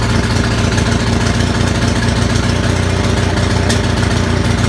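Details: Onan 6500 (6.5 kW) gas commercial generator, missing its muffler: stumbling uneven beat with irregular pops and backfires instead of a steady chug, shaking; spark present throughout, misfire traced to a severely fouled spark plug.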